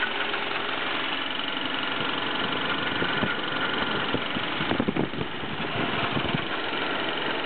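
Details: BMW E36 318is, M44B19 engine, cold start: metallic rattle with some sharper clatters over the idle, and rpm hunting between 1000 and 1500; cause unknown.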